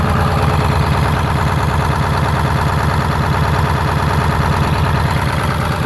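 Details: Ford 7.3 diesel with blow-by, monitored with twin pyrometers, idles roughly with an uneven lumpy beat around three pulses a second over a steady clatter.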